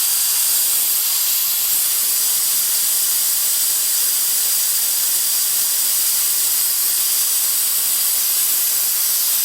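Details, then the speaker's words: Ford 7.3 Powerstroke no-start, engine off, with the high-pressure oil system air-tested at 245 psi via a homemade ICP tool. A steady sharp hiss of escaping air shows a leak, apparently on the right side; high-pressure oil system air leak. "yeah it goes you can hear it that's my pressure leak the wolves star just got 245 psi"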